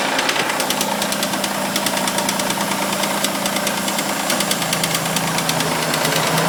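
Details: Mitsubishi Eclipse just after a cold start, in the garage: a steady top-end tick about three per second over the idle that keeps time with revs and sometimes goes away; owner suspects lifter or hydraulic tensioner, unconfirmed.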